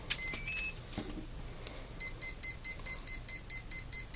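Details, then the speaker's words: ESC on Orange RX3SM receiver, throttle lead swapped into rudder channel and powered on: initialization tones then fast string of short high beeps; high throttle warning. "i'm going to power it back on you'll hear the esc initialize and give me a high throttle warning"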